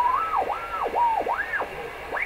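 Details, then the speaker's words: Rogers 11RA651 shortwave radio after replacing paper/wax capacitors, tuning across the band: a whistle swoops in pitch, leaving a heterodyne tone sitting right on top of a station; the heterodyne problem persists, cause unknown. "this heterodyne problem that's right on top of a station."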